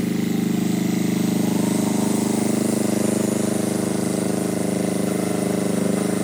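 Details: Power Pony with a two-cylinder Perkins diesel, after bleeding the fuel system: steady, even low chug at a fast constant rate with no misses or knocks; normal diesel running.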